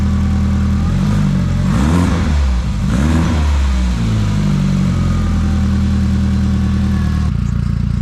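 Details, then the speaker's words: Rotary engine (180T) running via its labelled loom. Deep, smooth burble climbs and falls through two throttle blips, then settles to a steady idle, a clean, healthy run. "I think this one will be fuel pump, and then this will start it up. And you've literally got a running 180T."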